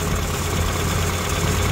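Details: Suzuki Samurai four-cylinder after setting ignition timing to 10° with a timing light and distributor adjustment: smooth, even idle, steady low drone, no stumble or ping; normal idle.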